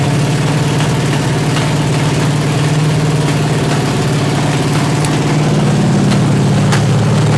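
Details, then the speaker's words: 383 stroker V8 through open pipes, warm at 210 on plain water, 1.6:1 roller rockers, after running at 2000–2200 rpm: loud, lumpy idle with uneven popping and sputtering; owner attributes it to valves adjusted too tight. "Just ain't idling good. Another thing, I'm gonna wait till I get her in the truck to set the idle."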